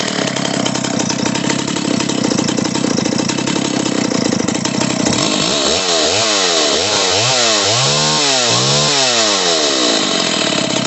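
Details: Stihl 028 AV Super chainsaw after top-end rebuild with Highway cylinder, piston and kit, retuned, two tanks run: crisp high-pitched buzz then smooth repeated revs without bogging; runs healthy.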